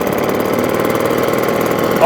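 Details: Restored 1954 Atco kick-start mower with a Villiers Midget two-stroke at a normal idle, described as smoky and aggressive: a fast, crackly, uneven two-stroke burble at a steady idle with no knocks or misses.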